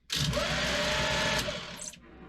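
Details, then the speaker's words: Sailboat electric bow thruster after brush work, short test burst: loud steady whirring hum with faint whine, even for about a second and a half before spinning down; working normally, moving the boat. "It's moving because it's moving the boat."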